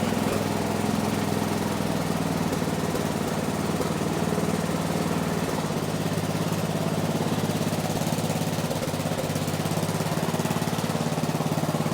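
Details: 1970s Massey Ferguson MF-12 garden tractor, Tecumseh 12 hp single-cylinder, just running after the cracked head was replaced: idle thumping with a slightly uneven beat that never settles; owner suspects the carb, not confirmed.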